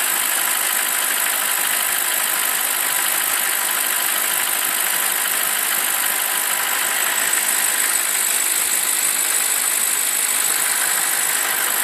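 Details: BMW 745i E65 V8 after a 2°C cold start whose clatter disappears after 1 min 20 s: smooth even idle with only a light, fast valvetrain tick and no heavy clacking left.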